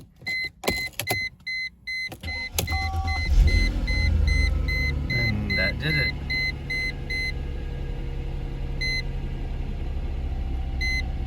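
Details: 2000 Mercedes-Benz CLK320 Cabriolet after sitting about three weeks, started after retightening a sparking battery connection: door chimes beep in pairs, brief crank, engine catches at once into a smooth idle; normal start, BAS/ESP/ABS errors shown afterward.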